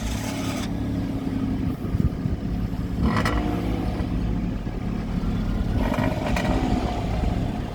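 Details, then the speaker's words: Citroën C1 project track car just after start-up with blips: raspy exhaust note with loose metallic rattle underneath, flaring with revs; owner suspects a hole in the rear back box, unconfirmed. "sounds like it's rattling a lot underneath I think that back box may have a hole in in"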